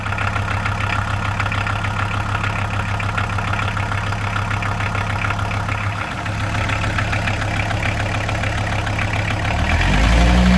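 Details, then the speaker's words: VW T4 van, early AAB 2.4 diesel, after replacing the squealing 13x1125 alternator belt with a 13x1100 and re-tensioning it: steady, even diesel idle clatter, no belt squeal or wobble, and the alternator is charging. "And that's it, job done. No more screeching from the belt. The alternator's still charging nicely, there's no battery light on, and the belt's not wobbling around while the van's running."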